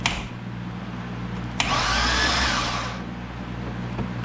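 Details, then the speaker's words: 2005 Chevrolet Corvette with built motor, plugs and header out, cranked by jumping the relay after a starter swap; smooth, even whirring crank with no clicking or grinding. Normal cranking. "and as you guys can see the motor is still turning over without issue"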